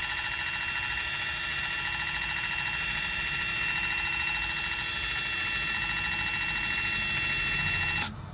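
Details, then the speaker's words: Lexus RX 350 (2016-2022) rear electronic parking brake motor powered from a 12 V jumper box during pad replacement; high, even motor whine for about eight seconds, then a clean stop; normal full retraction. "So once you do not hear the motor retracting, it means it's stopped."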